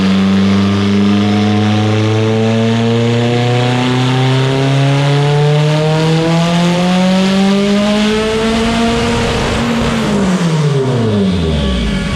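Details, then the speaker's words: Evo 8 built 2.0 turbo (GTX3584RS, Haltech Elite 2500) on dyno, initial run on 93 octane: long pull turning ragged and uneven near the top before revs drop, heavy misfires up top under boost; torque reading off as the ignition pickup misread. "And then there were some heavy misfires up top where you see the torque is reading incorrect."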